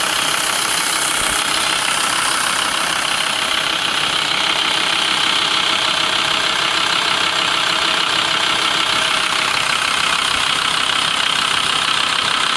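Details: VW LT 35 2.5 TDI (AHD) diesel, warm idle. A steady light tapping of about 2.5 per second appears after warm-up at idle and when accelerating, not when coasting. Owner suspects the camshaft area; a new vacuum pump and rod made it quieter.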